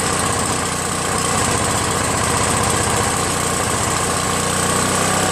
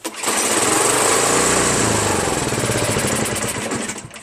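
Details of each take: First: Free Craftsman 5.5HP 26" OHV snow blower after two carburetor cleanings, governor linkage adjustment and recoil starter repair: catches on choke and settles into a smooth, even, steady run with no misses or knocks; normal running. Idle screw still needs raising, since it stalls when set halfway. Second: Craftsman 5.5 hp 26-inch OHV snow blower, free machine, pull-started on choke: single-cylinder chugs unevenly, surging and sagging toward a stall. It runs only on choke due to a dirty carburetor.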